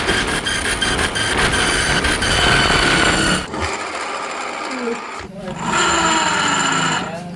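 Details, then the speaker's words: Honda Beat scooter final drive, secondary pulley removed, rear wheel turned: high steady whine over rough grinding rush from worn, very loose gears and shaft in the gear ratio box. "Nah, oke, tanpa puli sekondari kita putar rodanya. Suaranya sangat ngorosok sekali dan ini ojlak sekali tuh."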